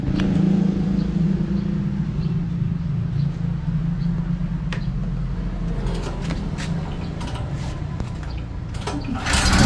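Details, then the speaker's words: Newly installed HAUSMANN 3800 W portable generator on a 30 A double-throw switch, first test run: it catches and settles into a steady, even low hum with a few handling clicks over it; normal running. "Paandarin natin boss. Standby lang mga boss, paandarin ko yung generator."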